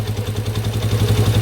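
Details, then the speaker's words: 1993 Yamaha Warrior ATV single, unstarted since about 2011, carb rebuilt, choke now off and idle adjusted after a high choke idle: settled even thump about eight beats per second; normal idle. "I can't even believe how good this thing run since 1993 hasn't been started since like 2011 sometime ah that is a sweet sound"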